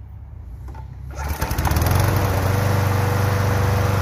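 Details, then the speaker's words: Toro Super Recycler GTS 6.0 self-propelled mower after complete gear drive rebuild for grinding/slipping: fires after a second, settles into steady even run, no grinding or slipping; fixed. "woohoo we are fixed there we are"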